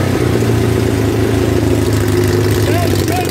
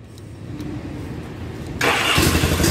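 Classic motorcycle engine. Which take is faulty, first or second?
second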